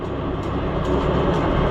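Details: Oliver Super 66 tractor driving a cheap auction-bought pull-type bush hog mower through the PTO at first start-up: smooth, even low rumble, no knocks or rattles; runs quiet and healthy.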